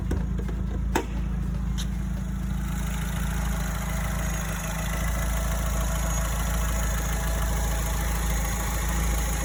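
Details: Alfa Romeo 159 after replacing the A/C compressor that rattled from the engine room after a long drive: smooth, steady idle with no rattle or grinding, though the owner still hears some faint metallic sounds.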